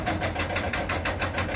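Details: Caterpillar excavator with 6.6 diesel engine misfiring at idle: lumpy, uneven puffs about four times a second, some beats weaker than others.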